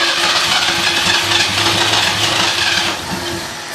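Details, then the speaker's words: 1978 Ford LTD that won't start after starter replacement runs briefly on starting fluid with a hissy, uneven note, then dies; owner suspects no fuel delivery, fuel filter, pump or carburetor; engine stalling. "well she don't seem to be getting fuel cuz I can spray a little bit of starting fluid in there and she'll run for a bit but she won't stay going as you'll see here then it just dies off won't stay running"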